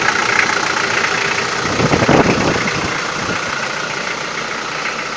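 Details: Toyota 4B diesel, cold start: hard rapid knock of about four beats a second over the clatter, strong until the glow plugs work, and it began after injection pump repair (plunger pair and nozzle replaced); timing adjustment has not cured it, cause unclear.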